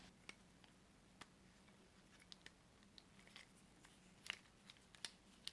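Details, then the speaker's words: Axial SMT10 monster truck center gearbox with 27-turn motor, turned slowly: quiet irregular cracks and crunchy grinding from broken stock center gears, replaced with SSD upgraded gear kit. "you can just hear that grinding and cracking coming from inside the gearbox so let's open it up and see what we've got"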